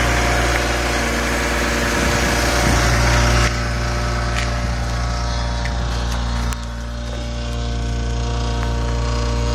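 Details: BMW E46 M3 petrol engine idling steadily with a light, fast rattle over the even hum; present from start-up at idle, cold or warm makes no difference, cause unknown.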